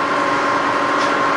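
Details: Rebuilt Bridgeport milling machine, 42-inch table, variable speed head speeded up: smooth, even spindle hum with steady mid and higher tones, no knocks or grinding; normal spindle run.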